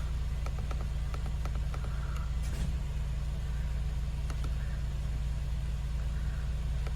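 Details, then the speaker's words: Mercedes-Benz B-Class W246 idling after auxiliary battery replacement: steady, even low idle hum, no misses or knocks, faint clicks; runs normally with the auxiliary battery fault code cleared. "没有了哈，已经完成了，这样就没问题。"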